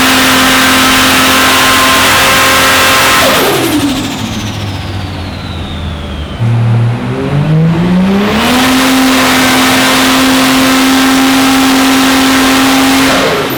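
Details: Ford Fairlane drag build full-throttle dyno runs after replacing crusty parts suspected of arcing: revs climb cleanly to high pitch, drop back, climb again without stumbling; healthy, peak numbers hit.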